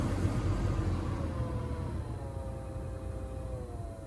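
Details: Front blower motor on a 2011–2019 Grand Caravan/Town & Country. A whirring fan tone slides down in pitch over a low rumble; the blower motor is noisy and is being swapped for a new one.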